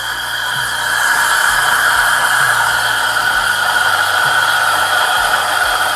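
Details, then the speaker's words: Breville Barista Express with 3-hole steam tip, wand dipped deeper into the milk after big-bubble air intake: steady even hiss, no sputtering; stable normal steaming. "Let me dip it a bit. Now it's stable."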